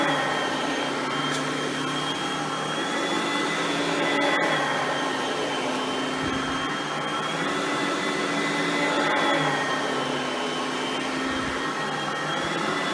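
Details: Oreck XL Platinum upright vacuum running, compared with a Hoover Platinum Collection bagged upright; smooth, even motor whine at steady pitch, no rattles or surging; quiet direct-air vacuum, normal running.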